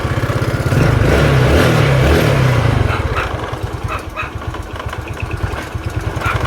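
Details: Yamaha Mio Sporty 115 with no steady idle, here after the carburetor bowl was filled with fuel; fault traced to the fuel cock: a small single settles to an even idle pulse about three beats a second after revving; normal idle.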